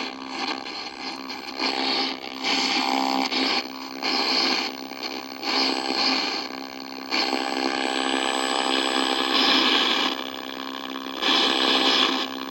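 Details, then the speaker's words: 1964 Sony 9-304U vintage TV: hissy, raspy noise with steady whistling tones surging in uneven bursts from the speaker; the sound section appears to be oscillating; cause unconfirmed. "sound is a thing o thing oscillating or something"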